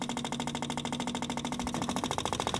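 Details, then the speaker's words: Subaru 360 van with an old two-stroke engine and a battery charged overnight. Its electric fuel pump suddenly starts working and gives a loud, steady, rattly buzz pulsing about sixteen times a second while running dry, unprimed. The old fuel is suspected to be solvent-like. "oh it just started working it just started working"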